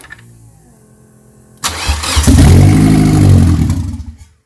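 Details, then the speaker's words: Turbo Suzuki Forenza after new turbo and header install, first start: faint cranking then catches and revs hard and rough as air purges from the fuel line; possibly old fuel. "it might be old fuel too yeah [Music] oh more air yeah nice oh yeah it was all air"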